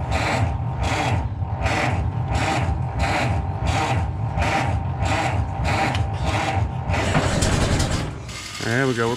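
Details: Ford Model T cold start on the electric starter, choke applied: slow, even cranking about one and a half strokes a second, then a few uneven near-catches without starting; owner suspects it may be flooded.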